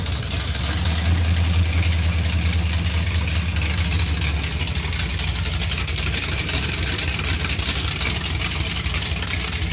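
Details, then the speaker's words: 383 V8 with a Whiplash cam and small-valve heads, idling on open headers with a little throttle. Loud choppy lope of about four beats a second; a healthy cammed idle where the cam can now be heard over the exhaust leak. "that sounds a lot better you can actually hear the cam over the exhaust leak"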